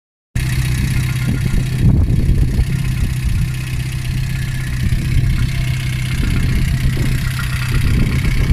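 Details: VAZ 2114 1.6 8-valve engine idling while the cooling system is flushed with citric acid and water, alternator belt removed: steady low idle with faint, uneven tapping over the engine note; knock present, owner suspects the water pump, source unclear.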